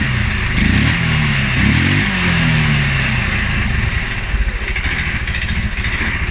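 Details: 2011 Polaris Sportsman 550 XP EFI, after riding or revving: low, loping idle with uneven stumbling pulses wandering after revs drop; rough idle, cause unknown: TPS, IAC, TMAP, valve clearances, timing, new plug and 43 psi fuel pressure all in spec.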